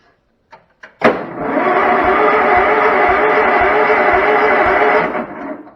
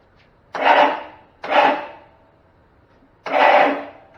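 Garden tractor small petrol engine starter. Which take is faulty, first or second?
second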